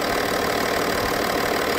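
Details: BMW M550d F10 diesel after coolant-leak repair (water flange): steady, even idle with smooth clatter, no misses or knocks; no leak, coolant hose warm so circulating, level dropped half a cm; normal idle.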